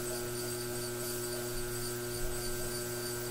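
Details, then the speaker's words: Brent pottery wheel before repair, run fast then slow: steady high squeaky whine over the motor hum; owner suspects the motor and plans to oil it. "today i'm going to try and get to the bottom of why my wheel has been squeaking if you've been watching my previous videos definitely heard that my wheel is squeaking"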